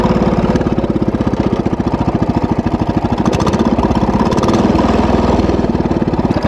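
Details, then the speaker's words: Wheel Horse tractor single-cylinder engine while working trails: fast steady idle with an uneven, rough exhaust beat; abnormal running noise, owner suspects the ignition points gap closing up again, as before. "i don't know if you can hear what i'm hearing or not y'all but there's a strange sound coming from the wheelhole"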